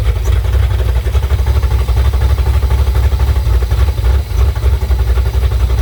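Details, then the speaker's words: Car with Summit Max E5500 fuel injection kit after replacing a faulty injector (part 193300545-3): deep steady idle throb, about four pulses a second, slightly uneven but no misses or knocks; all four injectors spraying. "so yeah car runs and don't know if you guys could tell but the injector was working so we had all four"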